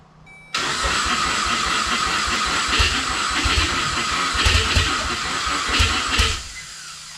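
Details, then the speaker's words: RWD Ford Fusion with swapped 2016 Mustang EcoBoost drivetrain, starter bypassed after no crank via the relay: long, uneven cranking with ragged sputtering bursts; it half catches for a few seconds, then dies; fans come on and fuel smell. "so let's see if it runs if I bypass the starter fans came on so that's weird it kind of started they smell fuel"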